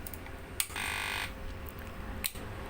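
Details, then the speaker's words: 16-MOSFET inverter board test with a load of two iron heaters, after running about 1,800 W: click, short high transformer buzz, another click as output cuts with two LED blinks; overload cutoff. "ครับมีเสียงหม้อแปลงทางนะฮะแล้วก็และก็บอดVGSตัดไฟนะครับเจอกระพริบ2ทีนะมีไฟกระพริบ2ทีคือมันฟ้องว่าโอเวอร์โหลดนะครับก็คือโหลดเกินกำลังWeAreนะครับ"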